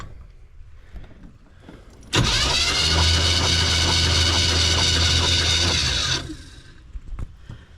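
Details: Van V8 after a new carburetor and redone ignition, cranked during a compression test with the plug out of cylinder five (cylinder one read about 141 psi): about four seconds of steady starter whirr with even pulses, never starting. Owner declares the engine done.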